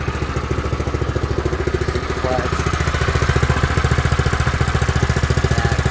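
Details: New Predator 212 engine on a Baja doodlebug running: steady, even single-cylinder beat with no knocks, ticks or misses; healthy.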